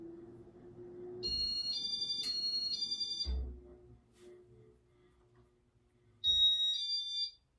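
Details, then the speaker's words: Loud, shrill double beep with a raspy, wavering tone over a faint low hum from the loud receiver board of a white and brass 52-inch Casablanca Artisan ceiling fan in demo mode; beeper sounds worn. "It's loud. Sounds like the beeper is starting to wear down on this thing."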